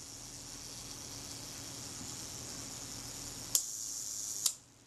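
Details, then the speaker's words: Kodak Retina camera shutter self-timer after servicing; thin steady high buzz for about three and a half seconds, then clean shutter click; self-timer runs down fully; normal self-timer run-down. "certainly does that seemed pretty good too we'll try that again sounds good to me"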